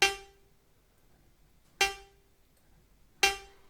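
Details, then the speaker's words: Accordion with a suddenly blocked reed: the reed is lifted with a thin metal plate and let fling back without bending it, to loosen the block; three sharp metallic pings ring out cleanly, so the reed now vibrates freely. "I lift the read up a bit and let it fling back so I don't want to bend the read out of its original position I just wanted to fling back and forth to loosen a possible block"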